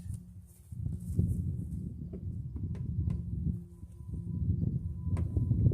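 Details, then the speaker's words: 2006 Dodge Magnum R/T V8, first start in years after sitting at a scrapyard: low, steady rumble settling into an even run, no misses or knocks; started right up and runs healthy. "Started right up. Seems to run really good."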